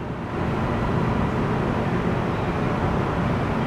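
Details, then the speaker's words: 2001 Nissan Xterra 4WD, 158,000 miles, started easily on a battery taken from a boat, idling with AC running cold; even low rumble with no knocks or ticks, a normal smooth idle. "Yeah, AC works great. Starts right up. So 158,000 miles. Sounds pretty good."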